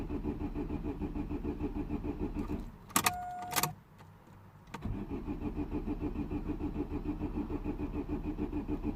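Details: 2009 Vauxhall/Opel Astra H 1.6 petrol with P0685; steady rhythmic cranking, a pause with switching clicks, then more cranking that never catches; crank no start.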